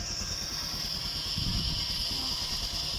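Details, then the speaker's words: Honda Airblade 150 scooter that was cutting out while riding: after side-stand switch wires were bridged, engine runs with side stand down, steady even hum with thin high hiss, no stumbling or cutting out. "guys pero gumagana siya kasi nga nak nakarekta na siya guys kaya kahit nakababa yan mapapagana mo na siya ulit"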